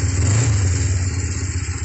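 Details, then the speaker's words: Kawasaki GPZ500S (Ninja), 498cc parallel twin, freshly serviced after rebuild, easy start, still cold and warming up, exhausts not yet bracketed: even, crisp note revving freely with steady firing, no knocks or misses; running sweet. "a surprisingly easy start they could have been filled in the carburetors go s pretty cool need to warm up a bit"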